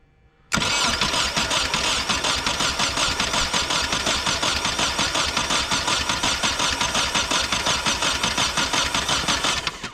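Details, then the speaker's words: Nissan 240SX project, no fuel pump prime heard, cranked in neutral with intake, MAP sensor and TPS not fitted: steady rhythmic starter churning for about nine seconds with no firing; crank no start, likely no fuel. "Nothing. Sounds like it's not getting any fuel though."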